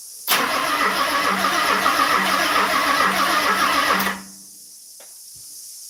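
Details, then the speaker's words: Car being started for the first time in a 3-year build, on old fuel with a weak battery: starter spins brisk and even for nearly four seconds but it never fires. Owner suspects a leftover old alarm system. "Certainly sounds like the fuel pump's going not immobilized. But there's an old alarm in this."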